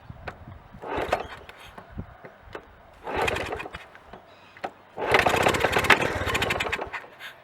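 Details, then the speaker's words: 1981 Honda CT110 barn find, first start after decades, choke on, no airbox: it catches on the second kick and settles into a fast, uneven, sputtery putter with induction noise. It is smoky from oil put in the cylinder. "wow second kick that's amazing he's running he's smoky take it out the oil I put cylinder you get that noise the induction noise there's no airbox on it"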